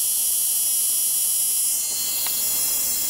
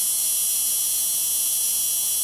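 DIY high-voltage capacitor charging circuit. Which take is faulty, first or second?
first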